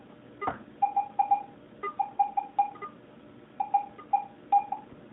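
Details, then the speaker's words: Garrett AT-Pro metal detector air test with a clad quarter at 10 inches. Short, crisp high beeps in uneven pairs and triplets still sound, but there is mostly no visual ID, with one reading of 80; a normal high-tone response near its depth limit. "okay we're still giving us a high sounding uh audio but no visual that's at 10 inches flat quarter at 10 inches no visual"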